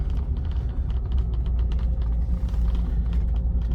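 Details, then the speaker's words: Old Series 1 Rolls-Royce Silver Shadow, restored after 30 years standing and a seized engine, driving slowly on wet grass on truck tyres: low even rumble with light leather creaks; engine pulls smoothly and quietly, no knocks. "I'm going to show you how you would select the gears. It drives nice and smooth,"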